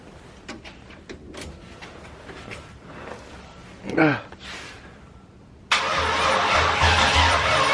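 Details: Ford Mustang SN95 "Driftstang" after an aftermarket fuel rail install, first start in months on a possibly weak battery: quiet, then a loud steady starter crank at a normal rate with no catch or firing; crankshaft position sensor missing, so it cannot fire.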